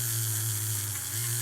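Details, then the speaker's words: AHM GP18 model locomotive motor after cleaning grime and buildup off with a pick: steady even hum, no crackle or stutter; running smoothly with good contact. "God it's beautiful that motor listen that thing hear how good it sounds when you have um uh all the G and and build up on it off of it and uh it's making good contact"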